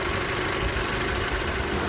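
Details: VW Eos after AC compressor replacement and cooling fan repair, hot day about 30°C, AC off: steady, even idle with smooth fan rush on top, no knocks or surges; engine and cooling fans running normally.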